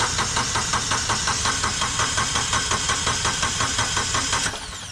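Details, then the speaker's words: Kubota B2601 tractor diesel cranking steadily at about three strokes a second without firing. The fuel shutoff solenoid was unplugged to build oil pressure and fill the new oil filter after an oil change. "This is the fuel shutoff solenoid. So I like disconnecting it. It's just a push pin. And then when you turn the key on, you don't hear that clicking anymore. This lets you crank the engine over so when it starts you can build oil pressure and fill that oil filter."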